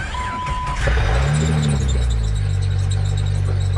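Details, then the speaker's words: Body-swapped Jeep DJ-5 mail Jeep on a 2001 TJ chassis, running hot near 230° with its fan grounded by vice grips: short high-pitched serpentine belt squeal over a rough idle; soap on the belt suggested to quiet it. "cools off belt's very annoying yeah you get a bar of soap shove it down on the Belt it'll make a good quiet"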